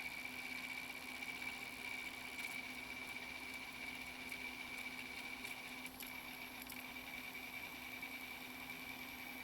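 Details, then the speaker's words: Old NEC-based CD-ROM drive (Intersect CDR-84) reading a pressed CD: steady high spin whir with faint low hum and no skips or seeking; normal. Problem appears only with CD-Rs, from a threshold laser or low CD-R reflectivity. "it's working exactly as it should"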